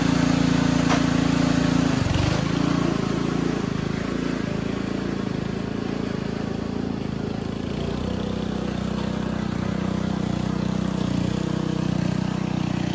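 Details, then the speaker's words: Simplicity Serf small engine after carburetor cleaning, riding under load; even steady hum with a slight dip at first and no stumbling, running clean. "Well, I'm confident in saying that this is the best she's ever run. Uh, very loud. Not sure if you can hear me, but yeah, she is uh doing great, I'd say."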